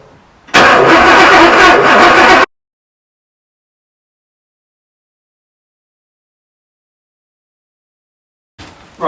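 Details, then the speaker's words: Porsche 928, first start attempt after restoration work: about two seconds of starter cranking that never catches, then silence; the fuel pump reached pressure. Crank, no start. "I could jump the relay and squeeze some fuel through but this is just no fuel at the moment"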